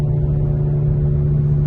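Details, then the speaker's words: 2008 Hyundai Santa Fe, front passenger wheel bearing worn: steady low droning hum and grinding under way over road rumble, car vibrating noticeably before replacement. "e front wheel bearing replacement a brand new one here product code in case you need car is standing right here the front passenger one is making a massive grinding nice"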